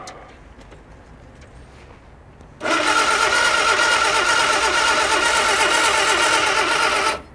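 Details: Morris Minor barn find parked 21 years, new battery: a steady high whirr of cranking for about 4.5 seconds without a single firing stroke.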